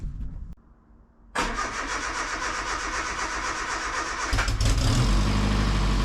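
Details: Austin Allegro classic car after homemade exhaust built with Peugeot 207 rear mount: fires after a short crank and settles into a steady, even run with a solid deep exhaust note; sounds healthy, exhaust done.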